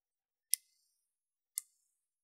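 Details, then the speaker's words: IK Multimedia ARC Studio room-correction unit: two sharp, dry relay clicks about a second apart as its loose 5.5 mm DC barrel power connector loses contact under cable tension, switching the unit off and dropping the correction circuit. "the connection is broken then the arc Studio turns off disconnecting the correction circuit which you can hear by the clicking of the"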